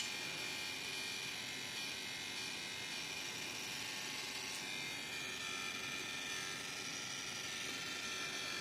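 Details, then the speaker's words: Deepcool LT720 liquid cooler pump, shroud removed and connected to a computer, running: fast dry crackling chatter over a thin high hiss. "Сегодня у нас в ремонте системы водяного охлаждения decool LT 720 признаки неисправности трещит во время работы"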